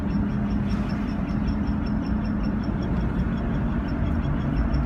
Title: 2000 Grand Cherokee squeaking noise